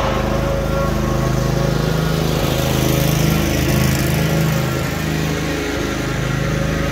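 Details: Cub Cadet RZT-50 zero-turn mower engine after crankshaft seal replacement and new aftermarket carburetor (original freeze-damaged): steady even beat at constant speed, no surging or sputtering; running normally.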